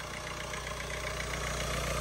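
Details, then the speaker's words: Ford Fiesta Vignale Mk8 1.5 diesel after timing belt and water pump replacement, refitted after a fuel pump side mistake, air box still off: steady even diesel clatter, ticking over smoothly with no misses or knocks; normal idle. "running and Ticking over lovely so it was a good job really it was a good job"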